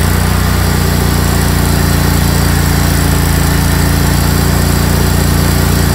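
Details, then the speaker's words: Craftsman GT tractor (model 917.258873) with 18.5 hp Kohler CV18S 624cc V-twin, formerly hard-starting, running after carburetor replacement (Kohler 24 853 41-S, new gasket); smooth, deep, even burble at steady idle, no stumbles or knocks; normal running. "all right well appears everything's working good so I'll button it all up again"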